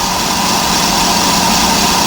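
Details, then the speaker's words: Electric trailer brake drum being resurfaced on a brake lathe, braking surface cut: steady, even cutting hiss with a constant ring, no chatter or surging; the drum is turning true. "that's a beautiful sound see that's your original meat right there so I know it's turning true because you can hear it you can hear it going nice and true"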